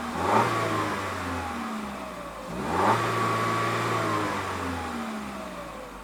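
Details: 2021 Peugeot 3008 Allure, 1.6 THP EP6CDT turbo petrol, 6-speed automatic, stationary: two clean throttle blips, revs rising smoothly and dropping back to a steady idle; normal free revving.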